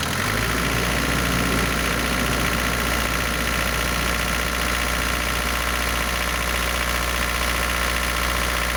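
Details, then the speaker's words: Cold Isuzu NPR diesel, first run in 11 years on bad fuel, at high idle: light steady tap three to four per second, like valve rattle, gone once warm. New pistons, sleeves, valves; adjustment checked repeatedly; owner suspects oil squirter, unconfirmed. "For some reason it has a little bit of a valve rattle or tap, like a valve adjustment, but it comes and goes. As soon as it warms up, it goes away."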